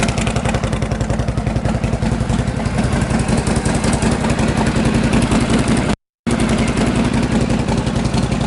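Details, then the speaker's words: 1952 Harley Panhead just started after sitting six months: loping, even potato-potato idle beat with no knocks or misses. Normal idle. "That's not bad, a single kick. Sounds good, too. Well, she always sounds good."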